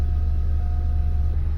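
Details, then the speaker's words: 2008 Opel Astra H GTC, Z16XER, manual, 223,000 km, after resealing the pump, replacing the check valve behind the alternator and the gears: warming up with a low, even idle, no knocks, readings normal, 120 degrees shown. "прогреваем автомобиль все показатели в норме 120 градусов"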